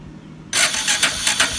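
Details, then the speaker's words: Honda Karisma (Supra X 125) motorcycle after a starter fault caused by an incorrectly installed starter motor was corrected: a quick whirring crank catches straight away and the engine picks up, so the electric start now works properly. "Jadi masalah dari motor yang enggak starter tadi itu hanya pemasangan di bagian dinamonya yang salah."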